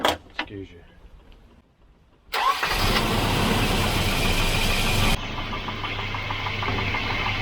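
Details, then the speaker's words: Volvo 240 (244 redblock engine) that wouldn't turn over after sitting, on its original battery after electrical and ground checks: short crank, fires immediately, steady idle, no slow cranking or clicking. Normal cranking and start. "it should start now on its original battery that wasn't working"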